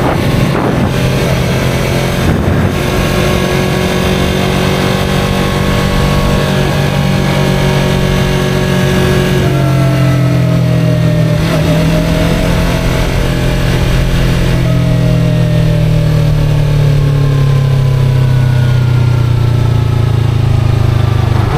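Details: 2023 Yamaha R3 under way: thin whine riding over the engine, rising and dropping with speed; owner unsure of cause or whether harmful.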